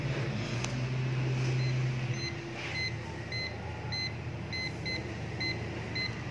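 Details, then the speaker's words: Perodua Axia air-conditioning with dirty compressor oil, leak detector at the cooling coil (evaporator), where the leak or a valve was suspected: fast repeated high beeps about four per second over fan noise; continuous reading confirms refrigerant leak at cooling coil. "Okay, boleh dengar bunyi dekat situ. Saya ambil di sini. Bawah dulu. Okay. Memang bahagian cooling coil lah tuan-tuan."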